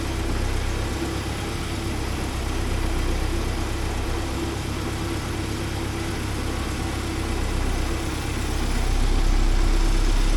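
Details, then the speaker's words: 1979 Porsche 924 warming up after first-try start: steady, slightly slow idle around 844–852 rpm with a constant fuel pump hum over the engine; idle a little low, to be sorted later. "things 852 844 847 a little bit low on the idle but that's okay I'll sort it out when it gets running right"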